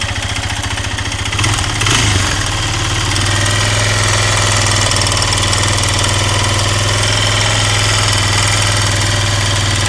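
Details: 2008 Suzuki LTZ 400 (K8) engine clattering at idle: steady metallic knock about four per second over a lumpy single-cylinder idle. Teardown found a scored piston and cylinder with metal torn away on the exhaust side, plus play at the big-end bearing.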